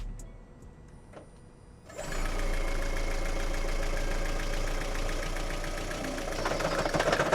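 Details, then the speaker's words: Blown Lexus, first start after engine rebuild: quiet, then the engine fires and runs with an uneven rattling patter about four beats a second; not running right, shut off immediately. "Yo, shut it off. Shut it off. Ain't nothing running. So, it's actually not running straight."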